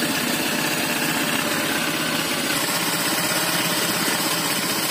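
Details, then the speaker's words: Honda Vario Techno 125 FI scooter idling with a rough, uneven rattle and coolant spraying up from the radiator. The CVT was checked and ruled out, rollers fine. Diagnosed as worn piston and block with loose piston-ring clearance, i.e. piston slap. "penyakitnya berasal dari tengah sini di bagian piston ring suara piston yang ngeflek lebih cepat akses suara piton ngeflek"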